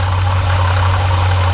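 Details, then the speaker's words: Jeep Grand Cherokee SRT 6.4L 392 HEMI at 39k miles, idling: faint quick uneven rattle from front of engine with coolant spraying and pulley wobbling, failing water pump bearing. "now I don't know if you can hear that that rattling all right you guys hear that right right there yeah cool and spray coming right at it right here notice the pool and spraying"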